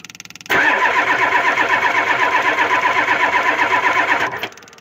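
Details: Ford 7.3 IDI diesel cold, after a spray-lube shot into the intake: about four even cranking pulses a second for four seconds with a steady starter whir, and it never fires.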